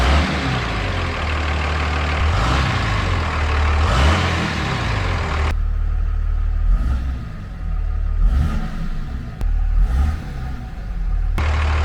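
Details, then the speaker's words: 5.9 Cummins 3rd-gen diesel, first fire after installing a Cool Hose intake hose replacing the factory tube and muffler: deep steady idle clatter, picking up cleanly on throttle blips; no difference at idle. "all right guys this is the uh the first fire with that cold tube on don't notice it at idle"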